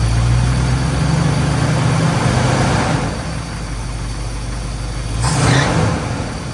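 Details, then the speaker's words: 1981 Dodge Ram 350 with Edelbrock 600 CFM carburetor, idling smoothly with a low, steady V8 rumble and no misses after the idle circuit was blown out with compressed air and mixture screws reset to half a turn. "so that seemed to do the trick um it runs smooth now"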